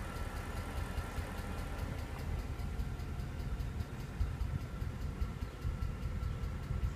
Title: E63 ticking noise